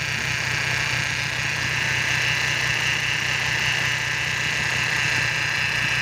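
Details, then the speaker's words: BMW E46 with N42 engine vibrating badly, tested before repair; idle uneven and lumpy with faint irregular knock underneath; rough idle from faulty crankcase oil separator. "kita tes mobil sebelum kita perbaiki [Musik] itu suaranya kasar kali suaranya kasar kali"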